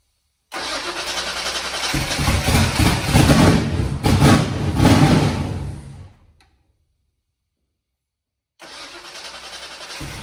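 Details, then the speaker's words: Foxbody Mustang 408 V8 on Holley Terminator X, first start after TPS auto-set: runs rough on throttle blips then dies when throttle released; still won't idle on its own, throttle body opening may need more adjustment. "It still doesn't want to idle on its own. I have to throttle it to keep it running."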